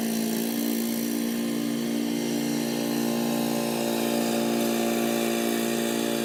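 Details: Old Murray riding mower with a 12 hp Briggs & Stratton engine, mowing in 30–33 degree heat: steady drone at constant pitch while cutting, with no misses or knocks, pulling the load evenly; normal healthy running under load.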